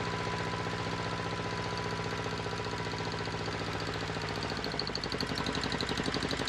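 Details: Volvo Penta 2002 diesel from a 1987 Liberty Yachts Pied Piper 28 sailboat, cold, after repair (shims corrected, no longer smoking): steady regular low pulses, no knocking or misfire; normal running.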